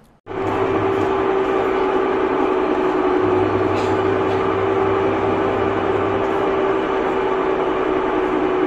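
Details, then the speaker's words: Samsung top-load washing machine during spin: loud, steady roar with a constant mid hum; very loud spin noise caused by a failing gearbox. "तो spin के time प बहुत ज्यादा sound आता है अगर sound बहुत ज्यादा आता है इस तरीके से जैसे कि मैंने आपको दिखाया था मशीन चला के तो वहां पे क्या होता है इसका गियर बॉक्स खराब होता है तब यह दिक्कत आती है"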